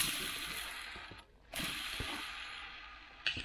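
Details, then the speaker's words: Clutch throwout bearing from a wrecked Corvette C6 Z06, spun by hand after teardown: a harsh, gritty hiss that fades as it slows, a rough bearing likely behind the grinding heard earlier. "I'm gonna go probably throw out bearing. That sounds terrible."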